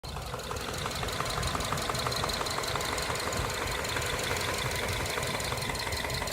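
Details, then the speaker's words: 2011 Subaru Forester SH FB25 engine, under 100,000 km, well maintained: sharp regular tapping over idle, about three knocks a second tied to engine speed, almost plastic-like, from cylinders 2 and 4 side; rod knock. "Слышишь? Тук-тук-тук-тук. Даже как будто пластмассу стучат друг от друга."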